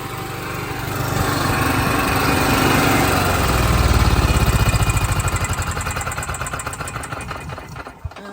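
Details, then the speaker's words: Generator after replacing air filter, fuel pump and fuel filter: steady running with speed swelling and sagging slightly over a few seconds before winding down; mild hunting surge, owner suspects leftover gunk in the carburetor. "The minimal amount of surging that there is probably still the leftover gunk that was in the carburetor."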